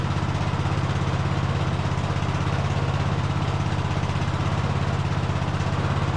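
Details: Cub Cadet LT1045 riding mower after carb cleaning and fuel system work, manually choked, running on its own tank: fast steady low throb, about three beats a second, slightly hunting; engine still surging, air-fuel adjustment planned.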